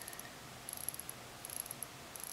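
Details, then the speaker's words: Alpha Explorer II GMT watch with a Chinese manual-wind hacking movement: crisp, fast, even little clicks as the crown turns, no grit or skipping; winding is smooth and normal. "As you can hear there, it is a manual wind watch. It winds pretty smoothly."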